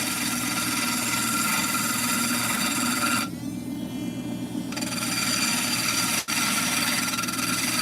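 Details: Cabochon grinding of a stone on the wheel, rounded and now being pulled up to form the dome. An even, steady hiss of stone on the wheel with no chatter or catching; smooth grinding.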